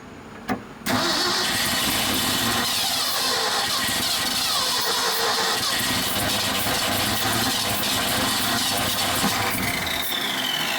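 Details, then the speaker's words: 1976 Ford F-600, first start in over 10 years with a vacuum leak and no fuel pressure: the engine catches after a brief crank and runs roughly for seconds on starting fluid. "see if we can somehow build fuel pressure because right now we've got none it doesn't look like"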